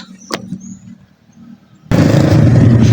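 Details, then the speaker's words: Honda Beat scooter after a damaged CVT pulley shaft was repaired with a pulley repair sleeve instead of replacing the shaft: smooth, steady drone with no rattle from the pulley area. Normal CVT running. "Dan alhamdulillah suaranya senyap, sembuh, nggak ada gemericek di bagian sini, bagian puli, bagian as pulinya aman."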